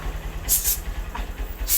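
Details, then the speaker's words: Honda Verza/Mega Pro after replacing the loose cam chain that caused a rattling noise; steady even low idle putter with no chain rattle, a few light outside clicks; normal idle after repair. "Motornya sudah halus ya. Kalau tadi bunyinya agak mericik ya."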